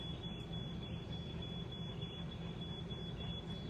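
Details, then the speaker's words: Faint, high, repeating electronic beep over a steady low outdoor rumble: a camper's carbon monoxide alarm going off on a 95° day, cause not yet known. "Both my parents are inside trying to figure out why some carbon monoxide uh alarm is going off for whatever reason. I don't know if you can hear that beeping."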